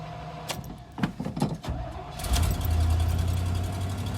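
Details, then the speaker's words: V8 in an orange Suburban after retightening the exhaust manifold, suspected leaking between the paired ports. It cranks and catches into a rough idle with a faint, quick puffing tick, and the manifold still leaks, so the fix didn't work. "okay yeah let's see it still leaks god damn it"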